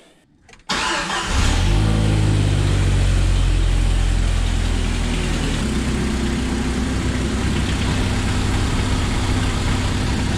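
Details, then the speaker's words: 1997 Jeep TJ 2.5 after replacing a blown exhaust manifold gasket (had a lifter-like tapping): cranks briefly, catches at once, steady even idle with no ticking or exhaust puffing; no exhaust leak after repair. "jj performed flawlessly no exhaust leak just like i wanted it to be"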